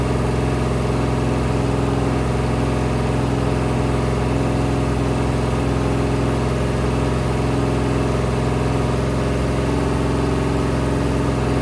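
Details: Rebuilt 426 Hemi crate V8 (new heads, intake, pistons) on a run stand during flat-tappet cam break-in, 50 psi oil pressure: steady fast idle, even unbroken rumble, no tick or knock; healthy.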